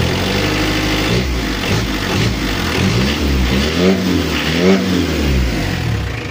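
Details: Mitsubishi L300 diesel after injection pump overhaul and 12mm rotor head upgrade: clatter climbs cleanly through quick throttle blips and drops back to a steady idle, smoke judged right; crisp, healthy response.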